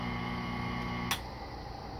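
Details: Rebuilt La Pavoni Zip grinder with new bearings: motor hums smoothly and evenly for a second, then clicks off, with no grinding or garbage-disposal rumble typical of old bearings. Normal motor run.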